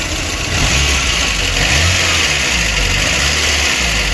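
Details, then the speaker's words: VAZ 2109 petrol engine misfiring, running lumpy and uneven as it revs despite new spark plugs; tight valve clearance and an air leak found, burnt valve suspected. "Бодя дуже щось троїть Наш двигун Дуже йому щось погано"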